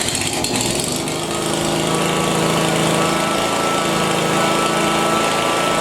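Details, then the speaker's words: Exmark Lazer-Z zero-turn after hydraulic oil and filter change, running with steady engine drone and rough growling grind underneath; air still trapped in hydraulic system, will work its way out after settling. "now you're going to hear some grinding and growing in and that's just more air in there it will work its way out"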